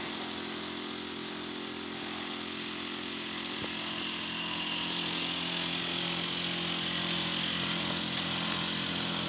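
Steady harsh buzzing drone with a raspy high edge that holds level throughout; a noisy heat pump, cause not clear.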